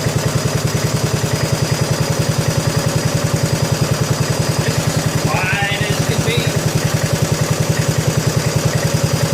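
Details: 1987 John Deere SX75 lawn tractor cranked on request to hear the starter. It turns over steadily at about three and a half beats a second but never catches, suggesting a lazy starter; the cause is suspected, not confirmed.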